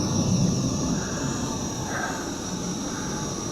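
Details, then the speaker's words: Visuo XS809HW altitude-hold folding FPV drone flying at highest rate upwind in some wind, after sand was cleared from its gears; steady even high motor whine with no catching or stutter, normal flight. "No lights are flashing. Going higher rate. Highest rate. Going upwind, we have a bit of a wind today."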